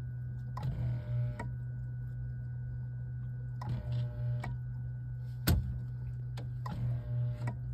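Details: Whirlpool WRF993F refrigerator, fresh food not cold, evaporator cover removed: air damper buzzes and clicks in repeated short bursts over a steady low hum, cycling due to a bad thermistor; fix is thermistor or whole evaporator cover assembly.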